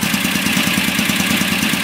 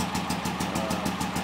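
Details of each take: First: Warm performance VW engine with Kadron Solex H40/44EIS carburetors, during idle mixture screw adjustment. Steady, fairly even pulse of about three beats a second with a busy fan-like hiss; sounds healthy. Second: Performance VW engine with a big cam and Kadron Solex H40/44EIS carburetors, just started cold before warm-up and idle mixture adjustment: uneven, loping, shaky idle of about six to seven pulses per second; rough idle.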